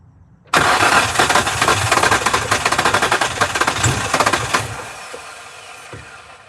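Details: 2003 Nissan 350Z: about four seconds of steady, even cranking, the engine never catches, then the starter stops and it goes quiet; cranks but won't start, cause unknown.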